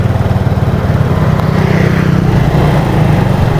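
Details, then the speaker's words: Yamaha Mio Sporty scooter on road test while closing the throttle: ragged, uneven putter that stumbles and nearly dies, coughing at the carburetor; torn carb diaphragm and a blocked air passage found. "turun gas dia ada suara batuk bagian karburator bisa Matikan dulu motornya"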